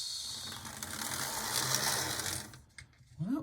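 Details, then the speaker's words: Athearn Blue Box EMD F45 model locomotive, first proof-of-life run after roughly wiring in LEDs: small motor whirs with a coarse, gritty gear growl. Runs, but growly. "like it's alive it's very growly very ethan growly but that's fine"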